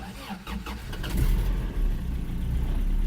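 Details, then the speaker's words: 1994 Toyota pickup, about 212,000 miles, started with the clutch pushed in: brief crank catches quickly and settles into a steady, even low idle with no knocks or misses; healthy engine. "thing just runs like a champion I mean look at it the air still works"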